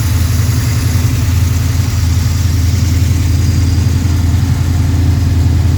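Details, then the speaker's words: Freshly built Pontiac 428 V8, probably a 1969, tri-power, D-port heads, 9.5:1 forged pistons, hydraulic roller lifters, for a 1966 GTO: steady even burble at high warm-up idle around 1500-1800 rpm, no knocks or misses; normal fast idle. "rms up here a little bit, but that's probably around 15 to 1800 RPM. So it'd be, you know, just under or right around cruising speed for most driving, like at 35 to 55 mile an hour."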